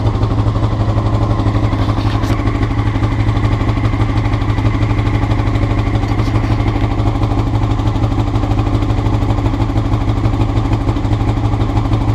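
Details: Honda CBR rough idle recorded before changing float needles; idle thumps along unevenly, pulses bunching and dropping, a rough hunting idle; cause suspected, not confirmed.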